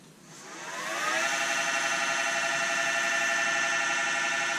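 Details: Workshop air compressor heard during woodturning sanding: the motor winds up over about a second to a steady high whine and holds even. The compressor is running normally.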